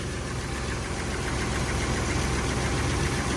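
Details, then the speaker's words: 1981 Chevy C10 after new spark plugs, idling on its own with no foot on the gas. An even low rumble at roughly three and a half beats a second with no misses; it sounds better than before and the idle stays higher. Normal idle. "It sounds good. I'd almost say it sounds better than what it did before. The idle is higher, staying higher than what it was."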